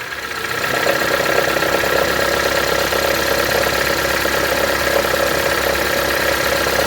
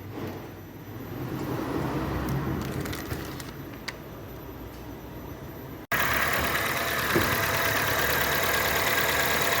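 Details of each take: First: Honda (Civic/HR-V type) idling: a fast light tapping of about four per second sets in when shifted into drive or reverse. The belt tensioner has play and needs replacing. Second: Honda Civic/HR-V checked for engine noise when shifting into drive and reverse, tensioner found with play: smooth, steady idle hum with no knock or clunk through neutral/drive/reverse changes; engine sounds healthy.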